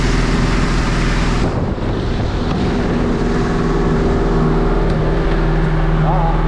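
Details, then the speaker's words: 2004 North River boat with Yamaha T8 outboard running on the water: uneven, stumbling beat about four times a second under wind and water noise; owner suspects a fuel issue, possibly particles in the fuel system, not confirmed. "that don't sound good we'll see that sounds like a fuel issue I'll see if I'm right"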